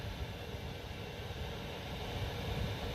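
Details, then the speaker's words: Van diesel heater after a temperature sensor replacement: the fuel pump clicks, then a quiet, steady combustion rumble with even fan hiss and no surging; it is heating properly. "okay I hear the fuel pump clicking should start to heat up here all right it is working we have heat success now let's clean up this mess"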